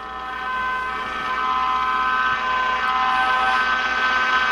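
A steady high squeal holds at one pitch over the set's hum, interference picked up from a nearby camera power supply.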